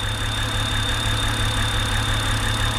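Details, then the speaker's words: 2007 BMW X3 N52 idling, running rough, with a thin steady high whistle; suspected rear main seal sucking air into the crankcase from excess vacuum. "that's the rear main seal screaming because it's basically sucking itself in and it's the air passing through from atmosphere into the crankcase through the seal and it makes that whistling noise"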